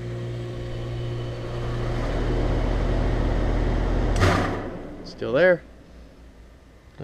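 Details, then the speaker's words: Outdoor AC condenser unit with Bristol compressor, compressor blanket fitted and fan motor replaced; steady hum cuts off with one dull thump at shutdown, felt too, not from the fan motor, cause unknown; thump on shutdown. "bump you know felt it yeah yeah you can feel it it's not the motor"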